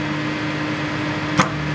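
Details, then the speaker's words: Assembled 5000 W BTL amplifier power kit with replaced capacitors: constant low mains hum with one brief click, louder when touched; grounding CT to chassis only reduces it, removing input cable eliminates it. Hum traced to input side. "Ya, suara dengungannya tidak hilang 100%, cuman berkurang."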